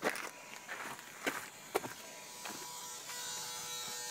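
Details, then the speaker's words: 1995 Acura Integra, automatic, B20B engine with a B18 distributor, won't start although it gets fuel: faint steady electrical buzzing with the engine off, among handling clicks; source unknown. "Oh no, I want to get this buzzing noise. Oh yeah. Where's it coming from?"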